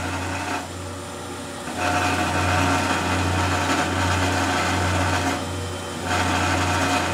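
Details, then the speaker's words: 38-pole permanent-magnet generator for a vertical windmill on a drill-press test rig at 100 RPM, loaded with a 1500 W heating element: steady low hum with even pulsing, no scraping or crackle; taking load, no heating or sparking, healthy. "definitely taking the load no heating no sparking no firing up yet and that's only at 100 uh RPM which is about 35 volts"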